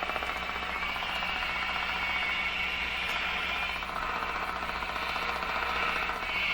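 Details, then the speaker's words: Canadian General Electric C701 console tube radio during alignment: steady speaker hiss with faint uneven ticking about a hundred a minute; recurring electrical interference in the shop, possibly via house wiring, probably not motorboating, source unknown. "i think this is an actual interference signal here in my shop today i get this ticking signal if you've watched my videos [Applause] oh my what's going on there you know that i do get an interference in here that sounds like that [Applause]"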